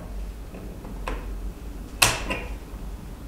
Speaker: You did hear the clicking, but you cannot hear the fan running,though it is.